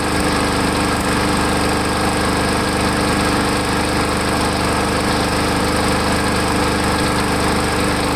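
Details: Lawn mower small engine running after Seafoam was added to the fuel tank to cure a surge; it runs fairly steadily with only slight unevenness in speed, the earlier hunting settling down.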